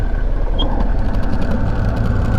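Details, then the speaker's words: Flatbed semi truck diesel idling while the clutch pedal is worked: heavy idle rumble with a faint steady whir on top; clutch release bearing is gone. "hear that? So the bearing on there is gone. So hopefully we can make it home."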